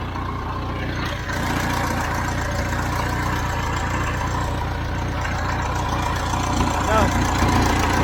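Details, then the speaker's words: Hesston 620 swather diesel after sitting about 10 years, started without ether; steady, even low chug at idle with no knocks or misses, idling healthily. "I bet you we've I've started over 200 250 and then it still amazes me how something can sit this long and start without ether"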